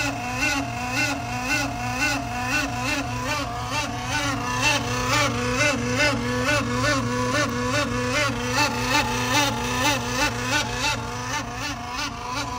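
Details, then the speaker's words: BMW M5/M6/X5M S63TU/S63R, original auxiliary electric water pump running during coolant top-off before replacement: a loud warbling whine pulsing about twice a second over a steady hum. Owner suspected a faulty pump. "Not sure if it's supposed to do that or not, that loud noise. Maybe like a water pump that's faulty."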